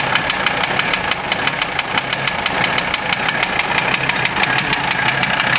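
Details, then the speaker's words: OM617 diesel in a Toyota swap, warmed up 2-3 minutes, idling: sharp metallic knocks about two per second over the idle; unchanged after valve adjustment and cracking each injector loose; owner suspects piston/connecting rod area, not confirmed. "It always runs a little rough when I first start it, but I hear the noise pretty easily now."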